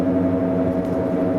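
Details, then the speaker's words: BMW E91: a steady mid-pitched whine at 60 km/h, speed-dependent, worsening, heard even at 50 and unchanged with the clutch in. Whine at speed; driveline cause suspected, not confirmed. "Avant on l'entendait que à partir de 90 genre sur autoroute, et puis plus j'allais en vitesse, plus ça faisait du bruit. Voilà, là je suis à 60, on l'entend déjà."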